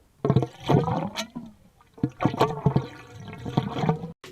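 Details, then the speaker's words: Gurgling from a drain: irregular wet gurgles and glugs signalling the drain line or main sewer line to the street backing up, usually a precursor of a backup; check fixtures by running faucets and flushing toilets. "usually that pertains to a drain line or your main sewer line going to the street backing up so once you hear the gurgling noise i would definitely check into it because it's usually a precursor of what's about to come"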